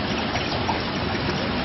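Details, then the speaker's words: Vacuum pump system: continuous bubbling gurgle of water drawn up into the vacuum exhaust line because the piping is broken; not a normal sound. "You can hear uh, on the system, you hear the gurgling. That's actually just the uh the vacuum from your process vacuum or the exhaust actually causing water up in there."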